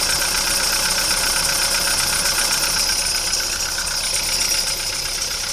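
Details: VW Polo Sedan on Lukoil Genesis Armortech 5W-40, 5,000 km on this oil, cold start after two days parked. Loud steady idle with fast light ticking about four per second. Hydraulic lifter tick in the first seconds after start.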